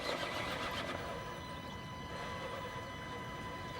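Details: Crawler motor on 4S in an RC crawler, cruise control at 22% throttle, motor energized under load: steady high-pitched PWM whine, several even tones over a soft rush; normal drive whine.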